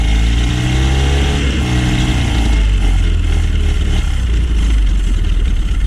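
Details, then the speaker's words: Honda 9.9 outboard that sat unused, would not fire without starting fluid, running after its carburetor main jet was cleaned: a steady, deep, even run with no misses or surging; running pretty decent and cleanly. "Alright, let's try to make this carburetor just a little better. It's running pretty decent."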